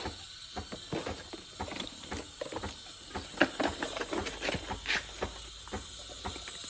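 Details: Breville espresso machine steam wand: steady loud steam hiss with scattered sharp clicks, the clicking noticed earlier; steamer delivering steam properly.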